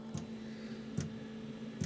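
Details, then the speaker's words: Planar/Autoterm 2D 12V diesel heater, 90° install in a Microlite Cargolite camper's underfloor box, on its first run: soft, evenly spaced dosing-pump ticks about every 0.8 s over a faint hum while priming fuel. Normal pump operation. "heat on that's a good sign it's the pump running I'll come back once something happens the pump pump is running"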